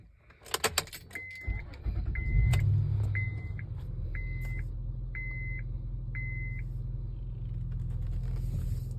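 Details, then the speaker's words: Acura MDX after replacing the power steering oil seal ring (no leaks found on the pump or line): keys jingle, the engine starts and idles smoothly under a repeating dash chime, with no whining or grinding while turning the wheel right and left. "see whoa see there's no whining or there's no sound that you can hear on the wheels when you're turning to the right turning to the left"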